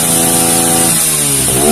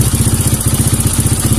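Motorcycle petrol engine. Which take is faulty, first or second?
second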